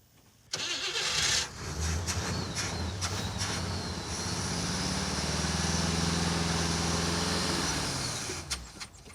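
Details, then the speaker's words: Roadkill project car: the starter churns the engine at about 3–4 beats a second and it never catches. The small electric fuel pump won't lift fuel and makes no pressure or flow even after priming the hose. Cranks but won't start, with no fuel delivery. "the fuel pump isn't picking up yeah I think when we left this car it ran I do remember hearing an engine make noise"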